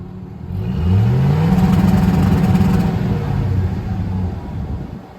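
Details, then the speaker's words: 2007 Chevrolet Silverado Classic AWD lowered with newly installed MSD two-step, set to 2500 rpm, exhaust tip removed after rattling: engine climbs quickly then holds with choppy stuttering bark, no rattle; two-step limiter working cleanly, better than at 1500 rpm. "okay so that definitely sounded way better than 1500 RPM twostep did"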